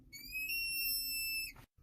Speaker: customer states that when you push on the brake pedal really hard, it sounds like there is a child screaming under the dash.